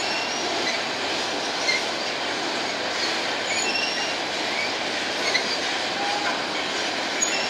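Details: Empty BNSF grain train led by two GE locomotives passing at sunset: a steady rolling rumble and hiss, faint high-pitched squeals from a few wheels, plus coupler groaning; cause not evident.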